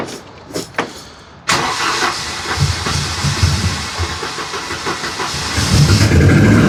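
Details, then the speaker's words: Engine bought for a Volvo 240 project, starting after light clicks and running with a loose, uneven knock about three per second. Owner suspects piston slap with excess blow-by burning oil, giving heavy exhaust smoke once warm. "you hear that all the Piston slap and in the rear it's also having f too much blowb there there's too much oil going through the piston rings and burning through uh out out the exhaust essentially because of the Piston slap I believe"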